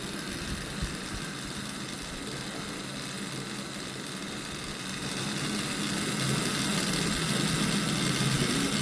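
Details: Desktop PC cooling fans that became loud and strange-sounding during use, a few days after the warranty ended: loud, steady roaring whoosh with a rough rattling edge that swells slightly toward the end; loud fan noise.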